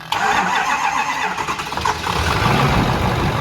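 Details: Ford 6.4 PowerStroke diesel truck that arrived with no oil or coolant and 0 miles to empty, fuel present in the filter: short crank catching into a rough, uneven idle that struggles to settle; hard start, cause not confirmed.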